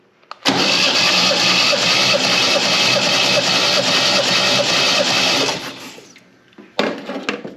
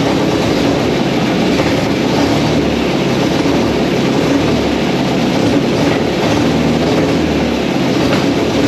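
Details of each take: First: MGB sat 15 years, compression test cranking with plug out: steady, slightly sluggish cranking, even pulses about 2.5 per second, never catches; battery sounds tired (suspected). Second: MGB sat for 15 years, run in the garage on a gravity-fed fuel tank after the carburetors were removed: loud, even engine drone holding steady with no knocks, misses or surging; runs normally.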